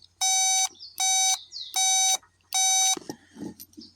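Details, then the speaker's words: Kubota B26 tractor no-start: safety/seat switch continuity test with meter probes gives four even high beeps, about half a second each, as the button closes the circuit; switch is good. "That's a proper switch. That's how you test it. So, this switch is good."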